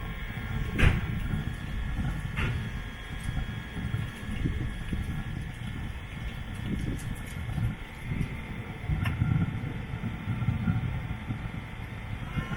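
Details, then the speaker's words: Webasto diesel fuel-fired heater fitted to a Land Rover Freelander 2, running for about half an hour: steady low roaring rumble with a few clicks. Burner lit and working normally, with the coolant hoses warm. "it's all running it's been on for like half an hour"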